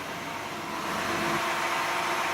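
Soft, even idle hum with no puffing or ticking at the manifold, so the exhaust is sealed and the engine runs cleanly.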